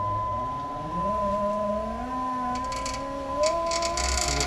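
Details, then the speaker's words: 2005 Jeep Liberty KJ front passenger window after regulator replacement, tested before refitting door panel: motor groans slowly with wavering rising pitch, creaks and scrapes; slow and noisy, apparently because a screw pushes on a spring pulley. "Looks like the screw's pushing on the one spring pulley."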